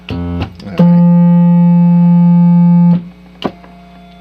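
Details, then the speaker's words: VOX Continental 301H organ under repair, third key up: single steady note at the right pitch but thin and faint; flip-flop stage to be checked. "See, it sounds like it's the right note, but it's faint."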